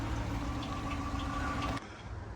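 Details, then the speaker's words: Police-auction V8 at idle: dull, steady chattery knock over the low rumble, heard with hood up; bad camshaft suspected, unconfirmed. "Can you hear it? Chattery. Yeah, it's chattery. Doggone it. Let's look underneath the hood. Can you hear it? That is a bad cam."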